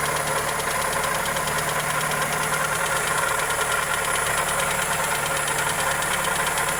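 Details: Toyota 2E engine (Corolla EE90) at steady idle with a fast, light, even ticking riding over it; top-end valvetrain or bottom-end connecting rod tick suspected, source not confirmed.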